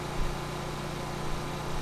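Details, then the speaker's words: Vintage Briggs & Stratton generator, after a Pulsa Jet carb rebuild, powering an air conditioner at 750 W. Frequency reads about 59.3–60 Hz and RPM is being turned up slightly. Steady low drone with no surging or knocking: healthy running under load. "we're pulling 750 watts. I'm going to turn that RPM up just a little bit. You were 59.3 hertz."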